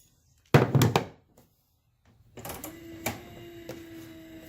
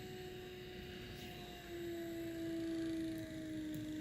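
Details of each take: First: Trolling motor at its highest speed after loosening the two nuts, rotating the center part to tune for peak pitch and retightening: steady, even hum at constant pitch, no rubbing or rattling. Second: Trolling motor on speed 5 (highest) with brush plate bolts loosened for tuning; steady electric whine whose pitch sags as the brush plate is turned off its best timing spot; motor speed drop from mistimed brush plate.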